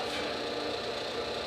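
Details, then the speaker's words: 1959 Axeman Anderson 130M coal stoker boiler at low, slow settings after the solenoid clunks on and the auger starts (under 4 rpm): combustion fan running just under 1300 rpm makes a steady, even whoosh with a faint hum, no clunks or rattles. Normal. "now it's running this is the low end slow settings the fan is running just a little under 1300 rpms right now"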